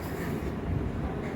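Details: Customer's working Scotsman MC46 ice machine with two heads, on site: low, steady hum with even rumble and no knocks, rattles or squeals, running normally.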